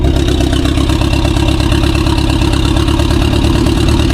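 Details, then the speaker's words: 2016 BMW 428i xDrive with drivetrain malfunction and cylinder 2 misfires: heavy uneven low chug at idle with irregular stumble about every second, car shaking, oil and smoke present; rough idle, misfire. "So I have I have my drive train malfunction and the car is running horrible. Let me show you guys. You hear how it's running? It's not running good."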